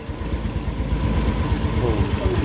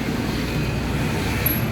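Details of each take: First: Yamaha Mio S40 scooter idling after replacing drive face pulley, assembly and belt; previously very noisy CVT now normal: low even putter, no squeal or rattle. Normal idle. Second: Yamaha Mio S40 scooter, freshly cleaned CVT (panggilid) humming while running: steady low drone, no clear knocks.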